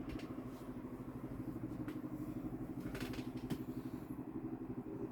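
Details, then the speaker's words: 1996 Holmes 16" stand fan HASF-1701 fitted with a replacement blade set, low speed: soft low hum pulsing about four times a second from the base; blade feels barely out of balance, cause unknown. "There is some noise being produced at the base, and that's quite strange because if I'm feeling this right now, the blade is not really that out of balance, if at all."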